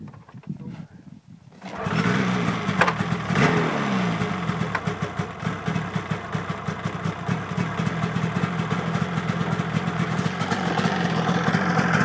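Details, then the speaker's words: 2003 Polaris RMK 700 snowmobile, all stock, cold start at about -3 °C: catches after a couple of seconds, settles into a soft, even, oddly quiet two-stroke idle; healthy. "Very quiet. Compared to my last sled, which I'll post a video of with this video."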